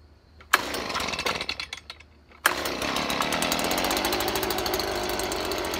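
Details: Stihl BG 55 two-stroke leaf blower after carburetor cleaning and fresh gas, bulb primed and started on full choke, then choke off: catches after a couple of pulls and holds a steady high buzz without bogging or surging. Owner suspects bad gas plus a dirty carburetor caused the earlier rough running.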